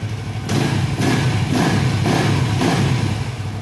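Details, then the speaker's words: Suzuki FU150 injection motorcycle after repairing a TA Racing high-pressure fuel pump (about 3.5 bar): engine blips cleanly about four per second and drops back without misses; normal running and revving. "sekarang kita coba ya kita Nyalakan sudah ada kan kita coba Nyalakan Nor motor normal Sip bisa sudah"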